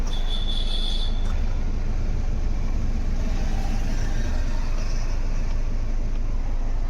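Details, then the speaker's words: Ford EcoSport after steering column repair, engine running while the wheel is turned: only a smooth low hum, the earlier dub-dub knocking from the column gone; normal steering. "पहले जो आवाज आ रहा था अभी नहीं आ रहा है तो जो प्रॉब्लम था हमारा सॉल्व हो गया है और स्टेयरिंग स्टेयरिंग भी फ्री हो गया है पूरा"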